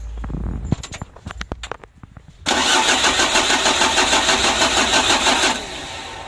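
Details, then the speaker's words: Rebuilt 2010 Mitsubishi L300 4D56 diesel engine, first start after assembly: the starter grinds the engine over slowly at about three turns a second for roughly three seconds and it never fires. Slow cranking from a weak battery. "ini baterainya ngedrop jadi kita coba dulu ya kita starter"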